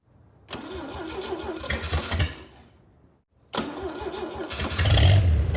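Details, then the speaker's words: Freshly rebuilt GMC 302 inline-six, first start: brief crank, catches and runs, dies, then fires again cleanly and picks up revs. Normal start; the stall was a fuel supply issue, then the electric fuel pump fed fuel. ">> Sounds good. Good, man."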